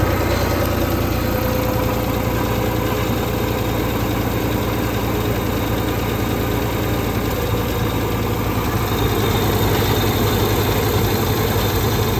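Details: Ford 2600 tractor after valve adjustment, previously one stuck valve: steady, even idle with only a light tapping under the valve cover, much quieter than before; normal idle.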